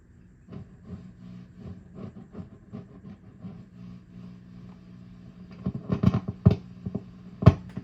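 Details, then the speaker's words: Swart Atomic Space Tone tube guitar amp with a redplating tube: irregular thumps and crackles over a low hum, louder toward the end. Noise doesn't reverberate with reverb up, so it is post-reverb; suspected microphonic power tube. "Sounds like a microphonic power tube. All right, so that sounds like a microphonic power tube. You'll notice that I turned the reverb control up and the noise was not reverberating."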